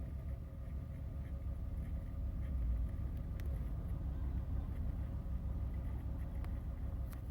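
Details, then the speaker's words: 2001 Chevrolet Monte Carlo LS idling after replacement of the radiator, both fan motors and the instrument cluster. Temperature gauge is rising and the check light is blinking. Low, steady rumble with no knocks, ticks or misses. Normal idle. "Then we have our temperature start rising up, and our RPM basically is running good. Everything is running the way it's supposed to be, and we just have our checking light blinking."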